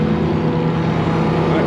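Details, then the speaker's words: Massey Ferguson 82 combine engine, auction buy being revived, just started on choke and idling. Even, low idle with a steady pulse and no tapping or misfire; sounds good, though oil pressure bounces 10–30 afterward. "It's alive. It wants a little choke coat. Don't have enough hands. [Music] It's idling. Wow. Sounds good."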